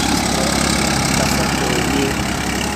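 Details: Massey Ferguson (Massey Standard) 241 tractor after repair, pulling a cultivator through a cotton field; deep, even diesel drone holding steady under load with no knocks or rattles; engine sounds healthy.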